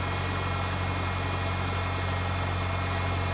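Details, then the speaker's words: 1999 Ford Ranger 2.5 L four-cylinder right after restart following the fuel rail and injector swap: steady low hum at idle with no misses or stumbles; engine idling normally. "It'll find its idle soon, and all will be well."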